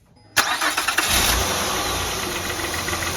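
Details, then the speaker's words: 2003–2008 Honda Pilot restarted with the alternator connector unplugged: quick crank, then an even, quiet idle with no whine, confirming the rpm-rising whine came from the failing alternator. "Purring like a kitten. No whining sound at all. Okay, so definitely alternator."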